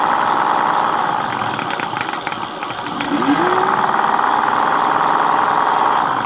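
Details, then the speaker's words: Mate X 20x4 fat-tyre e-bike hub motor on PAS4 after packing gears with Vaseline: steady mid-pitched whirring drone with rough rattly edge dipping and recovering; quieter with more grease but gearing still noisy, cause unconfirmed. "So as you can see, it is quieter with more grease in it."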